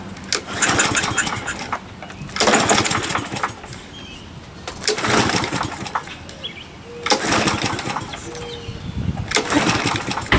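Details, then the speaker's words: Used 21-inch Murray push mower with its air filter missing, pull-started on starter fluid and said to have good compression: repeated pulls give a second of ragged firing that dies away. Owner thinks the carburetor is probably junk. "Let me try to pull it. Alright, carburetor's probably junk. I wish I could drain that float out."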